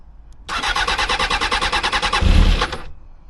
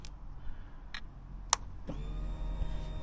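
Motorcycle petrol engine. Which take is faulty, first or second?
first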